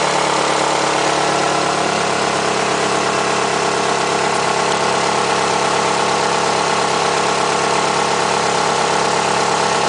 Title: Nissan Altima 2008 2.5S - Engine Noise